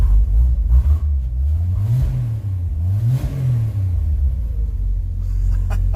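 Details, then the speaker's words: 1963 Chevrolet C10 factory short bed, all original: deep, even low rumble climbing smoothly on each rev and settling back, no misses or knocks; sounds like a tractor, healthy idle and revving. "let's fire up that this thing sounds like a tractor"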